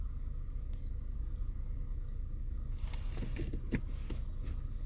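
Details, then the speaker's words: 2011 Infiniti G37x AWD, 84,000 miles, warm, in drive at low idle below 700 rpm: irregular tinny metallic rattles that go away with throttle. Caused by the washer reservoir neck hitting the inner fender after its OEM clip failed; fixed by replacing the clip. "it sounds metallic if I give it gas it goes away maybe it's a heat shield underneath but it really it more than like an engine that's knocking or failing it almost sounds like maybe it's a heat shield"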